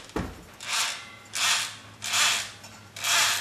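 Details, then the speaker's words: Craftsman table saw motor after brush replacement, turned by hand: slow soft even swishing rasp about once a second; normal fresh grease drag that will wear in. "that sound you hear is the grease it'll wear in a little bit"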